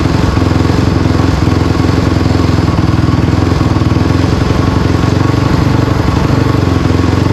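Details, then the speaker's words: Honda CRF250R engine in a go-kart after water pump rebuild (new shaft, seals, bearing) for a coolant leak, test run checking for water leaks: steady fast single-cylinder idle, even throbbing beat, no misses, rattles or knocks; normal idle. "I'm going to fire it up I fired it up before just for a minute to get water through it we going to fire it up again make sure no water comes out"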